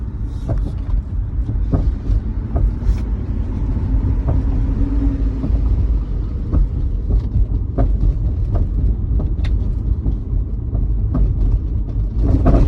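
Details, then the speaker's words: Tesla driving on the road: deep road rumble with scattered loose knocks and rattles from beneath the floor. Tires, brakes and suspension were checked and the splash guard replaced; the owner wonders if the battery is loose. Source unknown. "it sounds like it's about to fall apart maybe the battery's loose i don't know"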